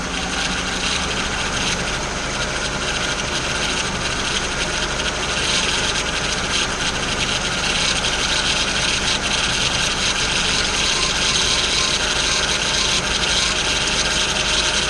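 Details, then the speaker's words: 2002 Mazda Millenia at idle right after power steering pump replacement, system possibly dry after bleeding or flushing: harsh, raspy, steady groan from the pump, which needs fluid added to the reservoir. "So let's actually turn it on and see how she sounds. Alright, she does sound a little upset, that pump."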